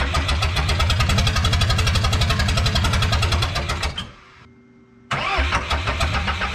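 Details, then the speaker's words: 1986 Lull 644 Highlander II telehandler diesel, sat for many years; rough idle with a heavy regular knock about 220 a minute, briefly stalls and restarts; oil full of metal glitter, engine shot, to be pulled. "oil looks like stripper glitter oh yeah it's more sparkly than [ __ ] bass boat paint yeah she's poached so i guess in the next video we'll pull the motor out"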